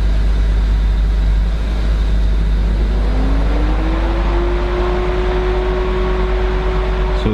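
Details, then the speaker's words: BMW started dead cold after sitting two days: whir climbs then holds at full speed over the idle, radiator fan stuck on high; cause found to be a failed electric water pump. "first fired up and that fan Kicks On High it thinks that it's in this extreme coold down mode it needs to uh bring the temps down"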